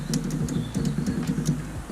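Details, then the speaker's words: 1972 Land Rover Series 2A abandoned 20+ years: with a strong battery the starter only clicks over a low hum and won't crank, the feed wire gets red hot, and the engine turns by hand; starter motor suspected, not confirmed. "You can hear it clicking, but that's about it."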